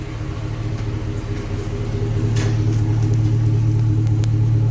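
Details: Newly installed Flowmaster muffler from a custom muffler shop: deep throaty exhaust rumble swelling as revs build, a growl with no rattles or leaks; normal healthy aftermarket exhaust note.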